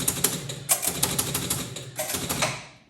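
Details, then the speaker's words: 1976 Bally Flip Flop EM pinball on game start: rapid clattering relay and reel ratchets firing in repeated bursts without settling; stuck in reset loop because one score reel stays at one and won't return to zero. "So, we're stuck in this endless loop of the machine trying to reset. Now, why is that? Well, it's because it's trying to reset all of the score reels back to zero so the machine can start."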